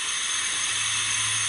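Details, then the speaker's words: Brand-new Briggs & Stratton 500 engine on a mower that never started, leak-down test via spark plug hole, air filter off: strong steady hiss of air out the carburetor; intake valve not sealing, no compression. "so we have an abundance of air coming through the carburetor so when i'm turning this engine over"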